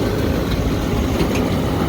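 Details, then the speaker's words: Bar rooftop AC that keeps tripping its main breaker, staged on first-stage compressor with both condenser fan motors running. A heavy, steady low rumble with massive shaking comes through the unit: condenser fan motor vibration. "okay so now it looks like we staged on first stage compressor both condenser fan motors are running there's definitely some massive shaking going on here though"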